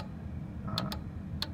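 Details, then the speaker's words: Industrial elevator control cabinet with three-phase breaker, stop button pressed: over a low hum, two pairs of crisp clicks about 0.15 s apart; normal relay switching. "Rồi le đánh cạch cạch các bạn nghe không?"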